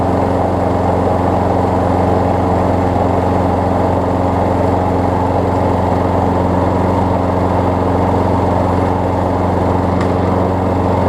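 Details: Craftsman six-horsepower front-drive self-propelled push mower after new pull rope, spark plug, air filter, belt refit and lubed self-propel cable: smooth, even single-cylinder drone at steady speed, no misses, knocks or rattles; runs healthy.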